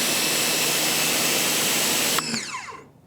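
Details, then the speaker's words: Ryobi 1600 PSI electric pressure washer, fully primed, spraying with the medium nozzle: a loud, steady high whine of constant pitch, then cut-off and spin-down; the pump sounds whiny and loud but normal. "so what I noticed right off the front is the sound of that pump is kind of whiny and loud I'll see how fatiguing that gets to the years after a while"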